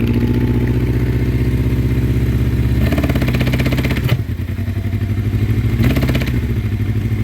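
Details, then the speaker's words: 1984 Honda CB700SC Nighthawk carbureted four. It will only run on choke and fuel can be smelled. It has a lumpy idle, and throttle blips lift the pitch then sag straight back. It bogs and won't rev; rings or carbs are suspected. "I do smell gas but I'm having to run it on choke so running good on choke but I don't think it'll rev up that's what it's doing I'm trying to rev"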